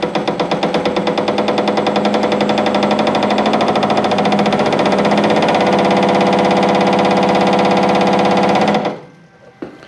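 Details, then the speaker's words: Hare and Forbes PHM-560MK2 power hammer in stock setup; blows start slow and spaced, quicken into a fast even rattle; slow start from the motor drive's ramp-up to full RPM, which can be shortened. "It'll take a second for it to warm up, but it's essentially got like a slow start and then it'll ramp up to full RPM. So let's watch. See how it's starting slow, it's going to get faster and faster and faster."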